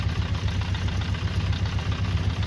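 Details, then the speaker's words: 48-year-old Honda CB400 Four: low lumpy idle below 1,000 rpm (should be 1,200) with uneven chuffing and no clean beat, burning slight oil; carburettors out of balance, needing synchronising. "That's no good, it sounds like a tractor. That's actually less than 1,000 RPM, so it's meant to be at 12."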